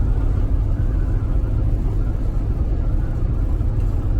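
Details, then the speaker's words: MC8 bus repowered with Detroit 8V71TA diesel, cruising on interstate at 55 mph during 80-mile test drive after air compressor replacement: deep, even low rumble, no knocks or whine; engine barely audible from driver seat, running smoothly. "running real good can't even hear the engine up here he just followed me and his guard he said he could definitely hear behind me yeah now she's doing real good"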